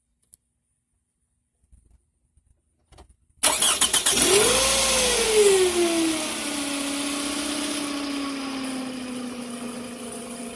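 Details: 2006 Toyota Camry, 220k miles, regular oil changes: petrol engine cranks, flares and settles to idle with a ratchety clatter about four times a second, abnormal startup noise.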